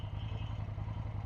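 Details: Suzuki Intruder motorcycle, first start after long neglect during restoration, smoke from exhaust: fast, even low-pitched clatter over the idle; something loose or knocking in the engine, cause not identified.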